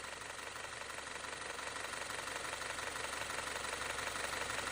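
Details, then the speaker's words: Audi Q5 2.0T EA888 after engine overhaul for oil burning, running at idle: quick, light, even valve-train ticking, loudest at one bolt, louder than a similar rebuilt A6; diagnosed as low oil pressure, but oil flows, so mechanic doubts it; cause unconfirmed. "就这个地方有哒哒哒哒哒的声，特别是这颗螺丝一听，那声音老大了。"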